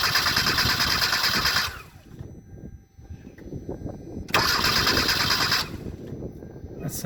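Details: Car cranks but won't start: starter churns at an even three-per-second pace but engine never catches; fault in injectors.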